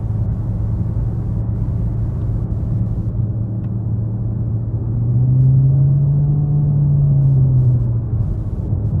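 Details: 2016 Jeep Patriot 2.0L automatic, driving: low droning hum over road rumble that swells and deepens with acceleration and load, stopping in neutral even when revved; load-dependent drone, source not yet identified.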